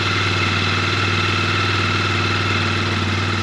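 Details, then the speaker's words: 2003 Polaris Sportsman 400, first start after valve adjustment and timing: steady even single-cylinder thump at idle, choke off, no misses, knocks or rattles; running healthy, charging fault still to check. "Wow! It sounds really good! That's a choke off, that's idle. It is really running nice."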